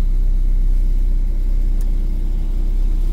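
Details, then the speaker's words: Car running on unlock (immobilizer-delete) ECU after adjustment, with a previously fitted idle motor possibly faulty: steady deep rumble, even beat, no stumble or hunting, idle slightly high; A/C switched on without stalling; AFR where it should be; normal idle. "Şu an fıstık gibi çalışıyor. Tamam, biraz devir yukarıda ama hadi klimayı açalım, stop edecek mi? Etmedi de namussuz."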